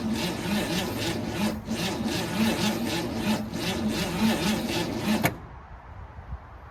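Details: 1964 Ford Falcon wagon, 46 years sitting, cranked again after brake cleaner failed: labored cranking at about three or four sweeps a second, dragging and uneven; owner wonders about battery; weak starter.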